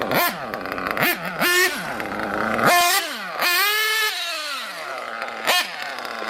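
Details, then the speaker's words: RC nitro engine after lowering the idle gap and leaning both needles, tested on pavement; sharp throttle blips fall back to steady idle without hanging, no longer running on as before; normal idle and throttle response. "that's much better than it was it's not running on like it was"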